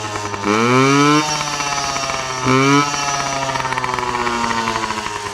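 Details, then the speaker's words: Yamaha PW50 two-stroke with freshly cleaned carburetor, deliberately run dry of fuel: revs climb then sag twice into a weak uneven putter; fuel starvation bog, which is what the bike was doing before. "You like all that? >> And just like that, that's what the bike was doing."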